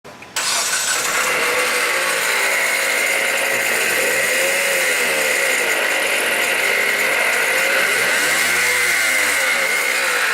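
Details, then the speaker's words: Dodge Caliber alternator decoupler pulley failing: harsh gritty rattle with faint metallic tick rising and falling with revs, grinding/knocking noise; fix is replacing the pulley. "Does your car sound like that? Then you've got a bad ADP. What's an ADP? It's an alternator decoupler pulley."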